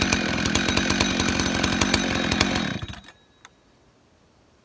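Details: Husqvarna 266 XP chainsaw that was bogging, after cleaning it out and the screen and fixing the throttle rod: crisp steady two-stroke buzz with even firing, no bogging, then clean shutoff; probably still needs a filter.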